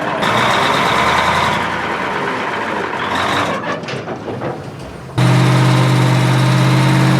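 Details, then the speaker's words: American 2380 20-ton military crane diesel, first start attempt. Catches after a few seconds of cranking and settles into a steady, even run with no knocking; normal running. "oh look at that it's got fuel wow"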